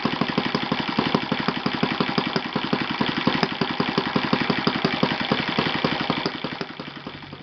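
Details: Yamada (Futaba) YS-F120 four-stroke 120-size model engine on test stand after total rebuild (carbon buildup, piston and ring problems), Yamada No.4 glow plug: crisp even popping at steady speed easing off near end, no misses or rattles; normal running.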